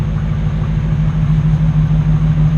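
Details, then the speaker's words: 2009-2015 Ram truck with factory dual exhaust, after bolt-on Carven muffler replacement: deep even low idle rumble with steady pulses, no ticks, rattles or leaks; sounds good, no air leaks found. "Let's get this turned off. That sounds real good."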